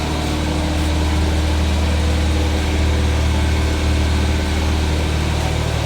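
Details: 1979 210 (carburetted) after choke fix: starts and idles, somewhat high, but steady uneven stumbling misfire; engine dies when plug wires 1 or 4 pulled, no change on 2 and 3, suspected two dead cylinders.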